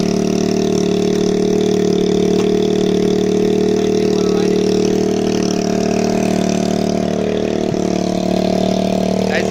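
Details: 2013 TaoTao 50cc CVT scooter at 2,713.8 miles with a new coil and NGK spark plug; it had been running lean and was adjusted. A buzzy, steady, even idle after start-up with the odd light pop; runs rich and healthy, a normal idle.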